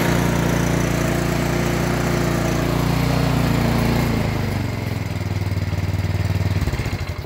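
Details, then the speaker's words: Yard Machines MTD snow blower with a Powermore engine that had the same surge or no-start fault, fixed by cleaning the Huayi carburetor: small single-cylinder engine runs at steady speed with no hunting or surging, then winds down evenly at shutoff, healthy. "time later yard machines all up and running same issue just the carburetor like almost everything"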